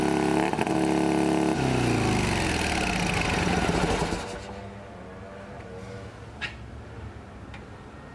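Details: Shovelhead chopper with new S&S carb: loud, fast, lumpy V-twin beat holding well above normal idle for several seconds before dropping; high idle suspected from a metal spacer pulling on the throttle cable free length, not confirmed.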